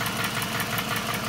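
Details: 2006–2008 Toyota Camry 2.4 engine at idle: quick, sharp ticking over the engine hum. A replaced lifter did not cure it; the noise was traced to a leaking exhaust manifold, fixed by replacing the manifold/catalytic converter with a new gasket.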